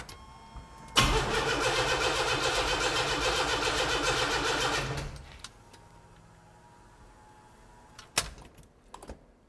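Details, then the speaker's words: Rebuilt junkyard 4.3 V6 turbo with new cam in a DIY Syclone S10, first start attempt: starter churns evenly about four beats per second, fuel and spark present but it never catches; fresh plugs and timing check planned. "I'm going to put a fresh set of plugs in this thing and triple check the timing and we're going to get her fired up in the morning"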